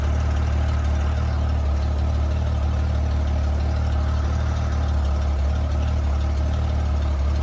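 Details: 1994 Honda GL1500 Goldwing Aspencade flat-six, first start in two and a half years after aftermarket fuel pump replacement, choke off: deep, smooth, even rumble, steady low beat, no knocks or rattles; idling cleanly and healthily.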